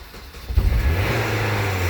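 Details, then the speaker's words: 1998 Nissan Maxima manual, sitting a long while with a fully dead battery, jump-started with a Tacklife T8 booster: catches after a brief crank into a loud, rough rumble that quiets down within seconds. "whoa noisy isn't it it will quiet down in a second there you go winding down"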